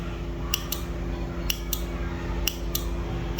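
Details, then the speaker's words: 12 V 15 A T-type relay (stabilizer use) tested with its coil touched to a 12 V battery, polarity not mattering. Sharp, loud clicks roughly once a second with a faint hum, meaning the relay pulls in firmly; a bad relay only clicks faintly: healthy relay click. "अगर ये जोर से आवाज आ रही है तो सही है।"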